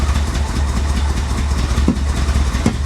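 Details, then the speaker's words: 1985 Chevy Corvette from Florida swamp, first start after sitting: deep lumpy idle stumbling now and then; owner suspects dirty fuel injectors, running off its own tank with the fuel pump in the tank. "oh wow that doesn't sound healthy that doesn't sound healthy at all"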